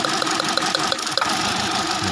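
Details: Rough uneven idle with irregular ticks and dips in the beat, a steady miss on one cylinder; engine light on, pending code, spark and coil checked, the number two ignition coil found faulty by resistance reading.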